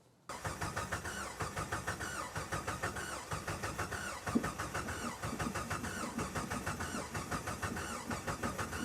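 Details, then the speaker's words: A 2003 Jeep Wrangler TJ after new fuel injectors were fitted: the starter cranks evenly for several seconds but the engine never catches. The fuel rail is dry and the pump was not heard priming, so a dead pump or clogged line is suspected. "After doing some troubleshooting on the fuel injectors and finally pulling one out, the fuel rail is dry. That means either the fuel line is clogged somewhere or the fuel pump in the back isn't pumping at all."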